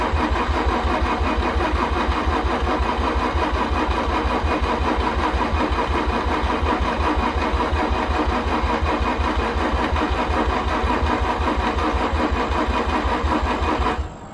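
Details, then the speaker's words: Car hard to start the night before, cranked after fresh gas added: long run of even, quick cranking beats that sounds close to catching more than once but never fires; hard start. "man i really am cursed we literally drove this car down here from outback last night drove it parked it it did have a hard time starting the last time"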